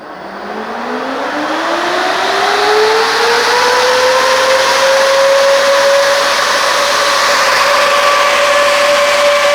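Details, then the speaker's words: 12-inch electric radiator fan on a bench supply at 13.85 V: smooth tone climbs slowly for about four seconds then holds even and clean, drawing about 12 amps; normal soft-start spin-up. "And let's go. Fire in the hole. Crazy how long it takes."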